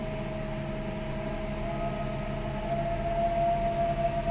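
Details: 2002 Lexus GS300 running smoothly with a steady high whine holding one pitch, growing slightly louder toward the end; whining noise, source not identified.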